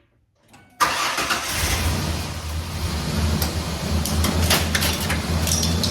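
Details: Ford 4.0 engine first start after repair, once a missed coil-pack wire was connected: fires at once and holds an even steady idle with smooth low rumble, no misses or knocks; running normally.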